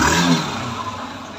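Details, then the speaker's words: Yamaha SS 125 motorcycle after repair, broken nuts welded and refitted: single-cylinder rev rises then settles smoothly, no clatter or misfire; the sound is now fine and the engine responds cleanly. "এই তো কাজের পরে গাড়ির সাউন্ডটা দেখেন, গাড়ির sound ঠিক আছে মাশাআল্লাহ।"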